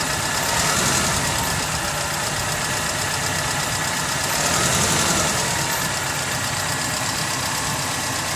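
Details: Mercedes M111 engine at idle: fast steady knocking about four per second, fairly even, over a busy idle; clear internal engine knock, source not pinned down.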